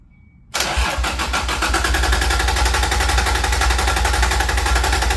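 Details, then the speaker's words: Toyota Supra Mk3 with non-turbo 7M engine newly turbocharged, distributor ignition, factory OBD1 O2 sensor, cranked first to prime turbo oil; quiet, then catches at once into an even, steady idle with no knocks or misses; normal start and idle. "right now what I'll do is I'll just turn over by turning over it's going to fire up the oil pump and that's going to send oil to the turbo and then once I crank it for a little bit then we'll fire it up"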